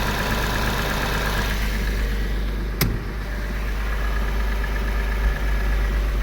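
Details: Porsche 986 Boxster flat-six petrol idling after IMS bearing replacement and reassembly, no engine light: smooth, even idle with no knocking or rattling, normal running.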